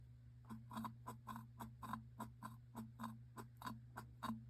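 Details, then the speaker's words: Yard Machines (MTD) 22" high-wheel push mower, Briggs & Stratton 4HP Quattro, plastic carb, primer tested off the tank: soft, even squish-clicks about two per second as the primer is pressed over a low hum; it is pumping properly. "another thing I want to check is the the primer you can actually do this off of the tank and we should be able to hear it move"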